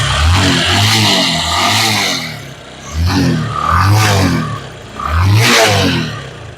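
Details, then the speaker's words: Bajaj Discover 135 after fitting two new spark plugs, valve clearance adjustment, carburetor tuning and air filter cleaning: three crisp throttle blips returning to an even idle, no knock, clatter or misfire; engine noise gone. "তো এখন কিন্তু বাইকটি সুন্দর আছে, অর্থাৎ সবকিছু accurate আছে।"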